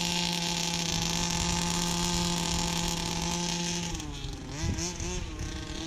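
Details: Brand-new Rofun Power 32cc two-stroke in a Baja 5B RC car, outdoor test: crisp high steady wail held clean at full throttle, then a smooth drop off the gas; pulls strongly, normal.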